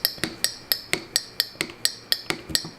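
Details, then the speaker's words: Wine bottle vacuum stopper being pumped: sharp clicks about every quarter second on each pump stroke, meaning the bottle is sealed; normal vacuum seal click. "means that it's sealed and then I put this in the fridge"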